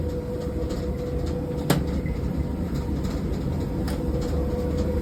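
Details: Speed Queen tumble dryer running: steady low rumble with a faint constant hum and a few stray clicks. Noisy operation, cause not yet clear.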